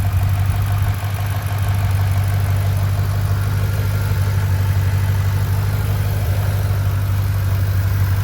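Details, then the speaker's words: 2009 Mustang GT 4.6 V8 gives a smooth, steady idle with a deep even hum and light fast ticking; normal injector noise, lifter tap gone after repair work including new phasers. "I can hear there's no more lifter tap all you hear is just the uh injectors the loud injectors on these engines which they are pretty loud"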